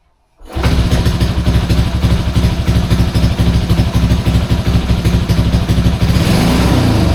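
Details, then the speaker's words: Restored Honda C200 motorcycle, fully rebuilt with new inline fuel filter, final startup: starts promptly, settles into an even, steady putter about three beats a second, no knocks or misses; healthy idle, though carb may need more tuning. "I can leave a running long, she'll smoke me out. Yeah, very happy with that."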